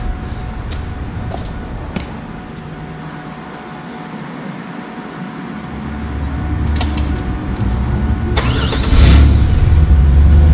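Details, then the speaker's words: 1997 Camaro 3.8 that sat over 10 years, after a new fuel pump install. Quiet at first, then the engine catches and settles into a steady low rumble; it still needs fresh gas. Normal running. "Ran it 10 years. We'll need some fresh gas, but it runs."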